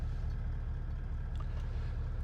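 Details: Toyota Landcruiser 70 1VD diesel with new multi-map tune and immobiliser, started after immobiliser sequence turned off: steady low diesel rumble, even regular beat, no knocks or misses; normal idle.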